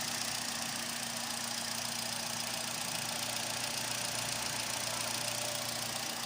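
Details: Engine test after replacing fuel pump and regulator O-rings for fuel pressure loss after 3–5 minutes causing hard starting: even idle under heavy hiss, soft regular tick, no stumble or hunting; runs fine, injectors still possible suspects.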